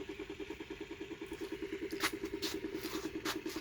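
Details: Homemade 3D-printed 5-pole magnet rotor with coil and Hall sensor on first run, drawing 13 V and 590 mA: steady pulsing hum, about two and a half beats a second with a mid-pitched buzz on each; source unclear.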